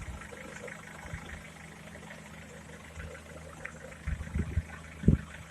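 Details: Rover 75 diesel on a shakedown run after new belts were fitted, following a crankshaft pulley that shredded the previous belt: quiet, steady hum with an even beat and no knocks or squeals, a couple of bumps near the end; running smoothly.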